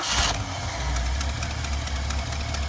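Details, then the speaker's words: 1973 Ford Bronco with a Motorcraft carburetor, cold start after tightening the choke pull-off bolt so the choke stays more closed. It catches quickly and settles into a steady, even low rumble with no stumble or hesitation. Normal cold-start idle. "stays closed if I give it gas. No problem at all, no hesitation."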